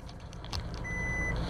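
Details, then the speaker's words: New 2021 Toyota Hilux single-cab 4x4 at idle, shifted into reverse: one clear high-pitched beep about half a second long confirms reverse is engaged; normal reverse warning beep. "aí você engata a ré e eu falei não engatou a ré ela novamente tem que baixar bem puxar para direita agora já tô pronto eu up sonoro não tem erro"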